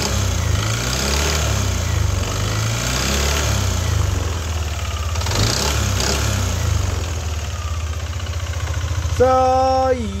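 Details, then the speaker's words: Yamaha NMAX V2 scooter at idle: deep, heavy knock pulsing about four times a second, loud rattling clatter rather than rough bearing sound; engine to be opened. "Ah tunog knocking eh hindi siya tunog bearing eh."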